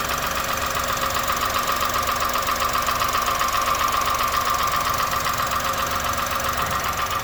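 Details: 2001 Honda Insight at 67k miles, valves already adjusted: steady sharp tapping about two beats per second over quiet idle, not worsening, goes away while driving; cause not found.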